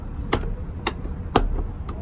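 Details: 2019 Ford Transit door check broken: sharp, evenly spaced clicks about twice a second as the door swings open and closed, coming from inside the door; fixed by replacing the door check behind the door panel.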